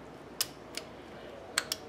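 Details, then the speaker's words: 2006 Ford Expedition no-crank: sharp, irregular clicks with no cranking after tapping the starter with a hammer; starter motor judged failed and replaced. "I can hear a slight click in the starter now, and before I didn't. So we're going to say that that starter's had it"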